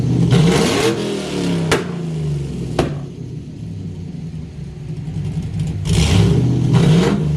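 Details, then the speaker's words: LS-swapped S10 Blazer, new spark plugs fitted, fuel pressure 60 psi: revs climb then fall with sharp single cracks as the throttle closes. Backfire/fireballs on deceleration persist even in the driveway; owner suspects coil packs or spark, doubts fuel pressure. "Basically, just need to go drive this thing, see if it's still doing the fireballs on deceleration."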